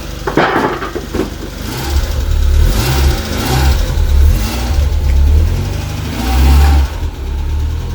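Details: Mk1 Mazda MX5 with a new 4-2-1 exhaust manifold and a finished clutch, driven up the road. Deep, smooth four-cylinder pull rises and eases with the throttle, with no exhaust blowing or ticking: normal running.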